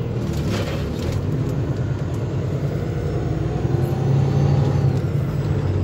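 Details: 2014 Kenworth T680 automatic on the road after a brake adjustment: steady low truck rumble with no pop or clunk as the brakes come on. It was banging when braking because the brakes were adjusted too loose; braking now normal.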